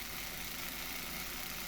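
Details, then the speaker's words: Close-up of the motor of a used Lima BR218 model locomotive, run before overhaul: steady high buzzing whir with a rough edge and no change in pitch; motor works but is noisy, possibly from molding flash or burrs on the gears. "Okay, so there's a close-up of the motor. Like I say, the motor does work, albeit a bit noisily."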